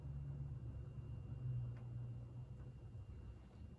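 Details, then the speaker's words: 52-inch GE AirCool ceiling fan, antique brass, original five-light kit, motor thought to be cast iron, on low speed: soft steady hum with no rubbing, ticking or grinding; runs very well, bearings silent, normal. "very well the bearings are silent it's got a pretty decent sized motor inside"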